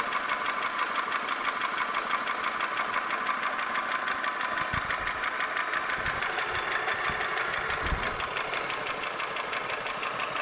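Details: Holden Commodore VY V6, Series II Buick 3800 / Ecotec 3.8, idling with a steady light tick about three per second. The owner asks whether it is valvetrain (lifters, pushrods, rockers) or bottom end (connecting rod, bearing); undetermined.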